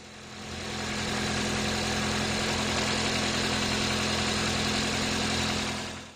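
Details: Toyota engine idling after a cylinder one misfire repair (P0301 code, check engine light); the coil was replaced and the spark plugs inspected. It now gives a steady, even idle hum with no stumbles or skips, running normally.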